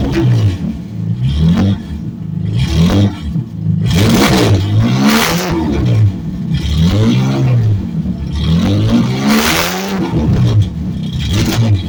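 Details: 1970 Ford Torino turbo inline six, cutout cap off and cutout open on restart after cooling a few minutes: deep loud blats rising and falling with throttle blips, no rattles or misfires, normal loud exhaust with cutout open.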